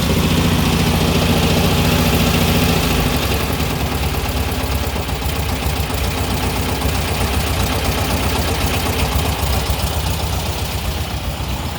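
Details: 1959 VW Beetle air-cooled engine idling with a steady knock about three to four times a second, heard from the driver side. The owner suspects clutch misalignment with the engine and gearbox; not confirmed.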